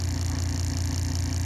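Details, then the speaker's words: 1908 General Electric BMY fan motor with front and rear bearings, temporarily wired: steady low hum with rough buzzing drone under power, stops with power off; bad bearings, new ones to be made. "take the power off and the noise goes away this is bad bearings in this motor"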